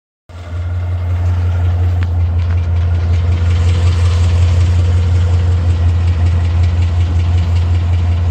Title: 2012 mustang 5.0 ticking noise